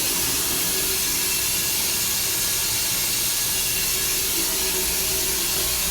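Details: Loud continuous rushing water hiss heard from the MSCP at 7:48 AM, running nonstop for about 24 hours, constant and unchanging, quieter from outside; cause not known.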